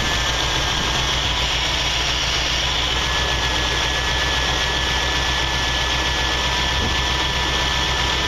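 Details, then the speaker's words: 1979 Jeep CJ-5, one owner, AMC 304 two-barrel V8, warmed up and off the choke: steady, even rumble with no knocks or misses, idle holding smooth and settled. Normal idle. "As you can hear, it idled down, so that means it came off the choke, just had to warm up."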